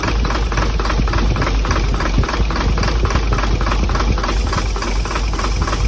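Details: Hino J08C diesel truck engine, believed overheated, started roadside after oil was poured into the intake: rough heavy clattering knock at idle with uneven chuffing, heavy blow-by and back compression; seized pistons suspected, not confirmed.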